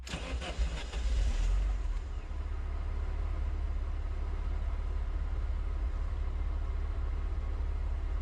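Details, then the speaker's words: Neglected Alfa Romeo Spider unstarted for months, started by bridging the relay: petrol engine cranks briefly, catches and settles into a smooth, steady idle with an even low pulse and no oil starvation. "You hear how it's just so smooth, this engine. It hasn't started in months and months and months."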